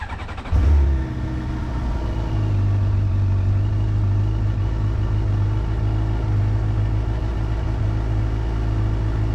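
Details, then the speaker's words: 2022 Suzuki GSX-R 750, cold start after sitting two days, before Sprint P08 air filter install: starter catches quickly, smooth steady high fast idle, no misses or knocks; healthy. "Cold start. Probably should put it in neutral. That sound right there, that's what you need to hear."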